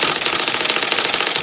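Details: IBM Selectric I (carbon ribbon) after repair of the banging and shaking on certain characters, case back on, typing X: a quick, crisp run of light clacks with no banging or case rattle; normal typing operation.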